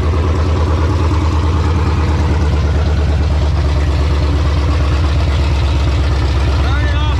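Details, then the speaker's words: 1968 Charger with a Hellcat engine swap, first start, no air filter, O2 sensors unplugged, no cooling yet: deep, steady V8 rumble holding a fast idle. Idle runs too high; owner suspects the missing air filter. "i felt like it was island super high boys it could be because i don't have an air filter on here it's probably detecting that"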